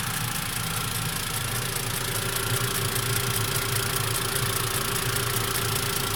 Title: Посторонний звук в двигателе Mivec Mitsubishi после прогрева